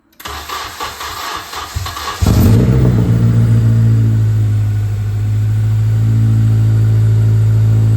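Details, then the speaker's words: 2005 Acura RSX race car first start after engine swap back into the car: short crank, catches cleanly, then settles into a steady low idle with no knocks or misses; engine runs healthy. "That was a big relief just to hear that run for that little bit. um just to know that at least it fires and it sounded decent when it ran."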